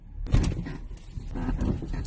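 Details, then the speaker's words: Toyota Crown/Reiz chassis: low drawn-out groaning creak over bumps, also when steering and especially reversing; loose chassis bolt, cured by tightening. "有时候打方向的时候也响，特别倒车的时候。像我们升起来一般这种情况都是这个螺丝松了，我们把它扭紧，还要看一下这个螺丝有没有装反，如果它装反了也不得。"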